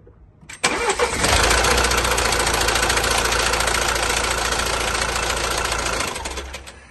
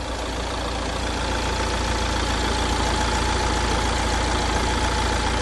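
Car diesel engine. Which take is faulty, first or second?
first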